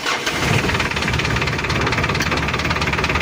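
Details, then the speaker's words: Mitsubishi L300 diesel (post-2010) before overhaul, with severe blow-by and oil consumption: a hard, uneven clatter at cold idle with vibration, suspected piston slap from worn bores; no smoke cold, and the sound changes under throttle. "Emang geter tapi suaranya itu ada indikasi e rumah piston kalah kalau dingin memang enggak ngasap tapi keterangan sang pemilik ini makan oli dan suaranya itu kalau digas"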